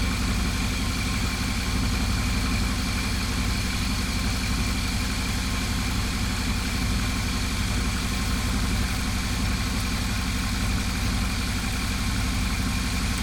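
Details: GMC Yukon XL, 6L80E transmission after replacing shuddering torque converter with billet unit, idling: steady even low rumble, no knocks, ticks or surging; driver-side exhaust gasket at Y-pipe noted not fully sealed; healthy idle.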